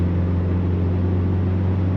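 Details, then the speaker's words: 2000 Subaru Impreza 2.5 RS, motor swapped 150,000+ miles ago, on a full-throttle test drive after new OEM spark plugs: steady, clean-firing drone with no stumble. Old plugs fouled at high RPM, causing shudder and misfire above 4,000 RPM. "It was the spark plugs fouling out when they got under really high RPM. It's really smooth right now."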